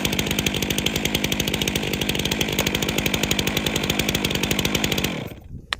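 Small two-stroke putters at a steady, even rhythm of roughly ten beats a second, then shuts off; a healthy idle.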